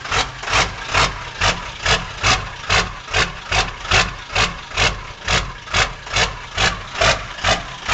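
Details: 1997 Powerstroke diesel idle surging and sagging about twice a second instead of ticking over evenly, a rough hunting idle. It occurs cold or warm in any weather and smooths out with throttle. GPR, glow plugs, MAP and cam sensors already replaced and FPR screen cleaned; cause unknown.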